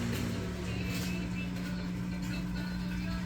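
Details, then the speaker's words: LG inverter linear compressor with two coils driven by a test simulator: steady low hum with firm tone near 180 Hz, even and unbroken; compressor running normally. "Ahí se escucha que trabaja."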